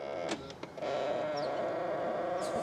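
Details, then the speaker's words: 16-year-old diesel Ford Fiesta, power folding door mirror operating: steady buzzy mid-pitched whine for about two seconds as it folds, louder than it should be; noisy mirror motor, owner thinks it needs greasing. "A very noisy mirror. Needs greasing, I think, really."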